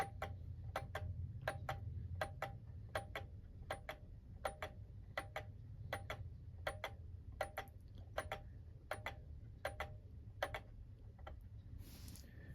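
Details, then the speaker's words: Antique German alarm clock (c. 1898–1902) before teardown, pendulum hung from a bent remnant of the suspension spring: crisp tick-tock about eighty beats a minute falters, slows and dies soon after starting; cleaning and lubrication planned. "sounds like it's slowing down yep well I think the next step is going to be I'll have to take out the whole mechanism and take it apart clean it lubricate it"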